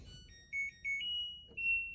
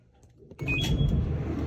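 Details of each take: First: LG electric dryer running: deep, steady loud rumbling once the drum turns; suspected worn drum guides, not confirmed. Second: LG electric dryer after repair of loud rumbling and vibration caused by drum misalignment: low even drum rumble, no scraping or banging, running smooth and quiet.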